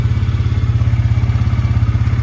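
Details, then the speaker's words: Bison SSR 400U 4WD UTV after replacing starter solenoid that kept it cranking constantly: engine fires and settles into steady even low thump, about ten beats a second, no misfire or clatter, and shuts off with the key; solenoid was the fault. "and then when we shut the key off it should shut off let's start it back up it was the solenoid folks"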